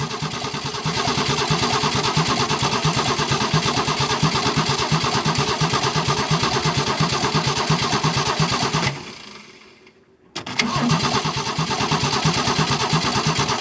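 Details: 1968 Ford Falcon with a single-barrel Holley carburetor, being revived after 40 years, with fuel needing to be drawn from the tank through the pump. Steady, even cranking with a pause; it never catches.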